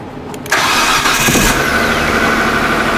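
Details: Engine cranks briefly during a cam/crank sensor relationship test with a Picoscope connected (checking for a jumped timing chain or belt), fuel pump heard running first; catches at once and settles into a steady, even idle, a clean normal start.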